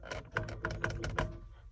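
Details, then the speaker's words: Air-cooled VW Vanagon Westfalia, battery known good: starter gives irregular clicks and weak, uneven thuds, engine never turns over freely, sounding like a weak battery; sticking starter drive (Bendix), starter to be removed and cleaned. "not great okay that's a no-go probably have to take the starter out clean it see what's going on hey sounds like a weak battery but I know it's not"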